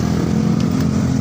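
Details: Barako 175 single-cylinder with hard starting: idle thump has a slightly uneven beat and wavering note, and the idle does not hold steady.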